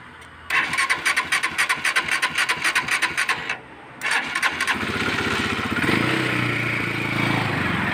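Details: Euro Daan Hari 186 motorcycle with a hard-starting, misfiring (palyado) engine: several seconds of rhythmic cranking without firing, a pause, more cranking, then it catches and runs unevenly; cause not yet confirmed.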